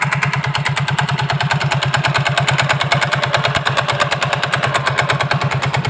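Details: Yamaha Soul GT scooter idling with the CVT cover open: hard, regular clatter about three knocks a second from the belt drive side, louder up close, sounding like a bad piston rod; loose CVT pulley.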